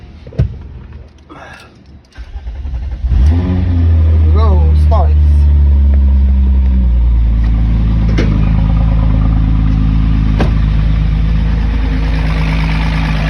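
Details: 1996 VW Cabrio with a crank no-start that ran on starting fluid, after a new fuel pump was fitted: a few seconds of quiet, then the engine catches and settles into a steady, even idle.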